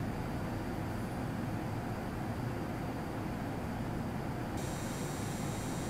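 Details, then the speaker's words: MSI RTX 4090 Suprim Liquid X (240 mm AIO, factory overclocked) under load: steady fan rush with a faint high coil whine turning to a brighter buzzing hiss, worse when overclocked. "that said however I did unfortunately notice a bit of coil wine in certain situations and this was also exacerbated when I overclock the card it's definitely not terrible but have a quick listen for yourself"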